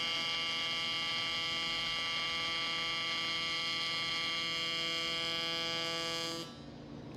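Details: Miller Dynasty 300DX AC TIG welding aluminum during a beginner's practice: a steady, high-pitched buzz with even tones for six seconds, then cutting out; a normal, stable AC TIG arc.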